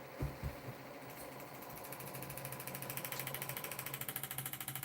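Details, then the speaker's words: Bedini SSG pulse motor with neodymium magnets: light tapping rattle about twice a second, growing louder over a faint hum as the rotor spins; suspected coil set too close or a magnet popped out too far. "move when you hear it rattling like that man don't just chill I know it's just the coil got too close or that magnet popped out too far"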